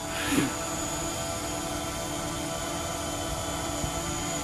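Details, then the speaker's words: DJI Mavic Pro drone with aftermarket Master Airscrew props hovering at 450: steady high buzz at constant pitch, no pulsing or wobble; normal, stable hover with full maneuverability. "we are hovering at 450 still got all my maneuverability just as stable in flight I must say I'm quite impressed with these no wobble nothing"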